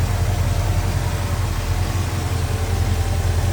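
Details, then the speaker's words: 1970 Chevrolet Chevelle big-block V8 with Edelbrock 4-barrel carb, headers, HEI ignition, aluminum radiator and dual electric fans, idling after a cold start. The V8 burble is deep and even over a steady low rumble, with no knocks or misses. A normal, smooth idle. "That was a cold start, and this thing runs smooth."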